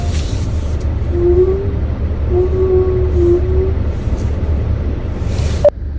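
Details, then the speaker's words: 2025 Hyundai Avante (Elantra) CN7 at 6,000 km, reversing slowly with brake held and steering turned, worse in cold winter since about December: a thin mid-pitched squeal in short bursts over engine hum, source unknown. The dealer found brakes fine twice. "보통 후면 주차를 할 때 브레이크를 밟은 상태에서 핸들을 돌리고 후진을 하잖아요. 근데 그럴 때마다 끼익 하는 소음이 나요."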